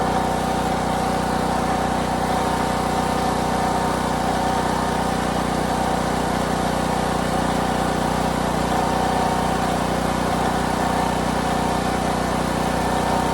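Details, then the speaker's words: Harbor Freight Predator 8750 generator, used nonstop for about a year, first run after replacing burnt brushes and the voltage regulator: steady even drone at constant speed, no surging, misses or knocks, showing 120 V output. Worn brushes were apparently the fault. "all right well we're showing 120. awesome awesome awesome so apparently it was these brushes they look pretty toast right there"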